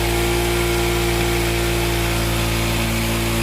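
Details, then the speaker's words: AKT Flex 125 motorcycle after refitting the original carburetor and replacing a local CDI that caused it to bog and lose power on acceleration: now revved to full throttle, holds a strong steady high-rev drone without bogging, drops off cleanly; healthy pull. "Como pueden ver, la motocicleta ya está respondiendo bien, ya se le siente la potencia al motor. Miren que no se ahoga, ya la aceleró full y responde excelente."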